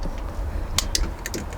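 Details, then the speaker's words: Toyota Supra, first start attempt in 15 years, on a battery booster: several sharp, dry clicks over under two seconds as relays pull in at key position one. Normal relay clicking at ignition on. "I've got a light I can hear some relays clicking you can hear relays clicking"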